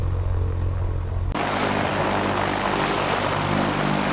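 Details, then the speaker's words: Light airplane piston engine, warmed up with oil burning off the exhaust: a steady propeller drone rises to a louder, even roar at a 1,500 RPM run-up. Fuel pressure then reads 0 PSI. "And we're just about ready to run it up to 1,500 and see what it'll do. All right, let's go up to 1,500."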